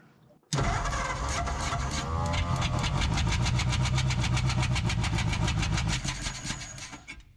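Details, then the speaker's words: 1947 Ford Coupe flathead V8, unrun for about 15 years: cranks then catches, running rough and uneven with sharp pops back through the carburetor. One cylinder is firing into the intake instead of out the spark plug hole, and which one is not yet known. "Shouldn't be this cylinder that's popping through the intake because it should take the path of least resistance, which should be out the spark plug hole, instead of going inside of the carburetor."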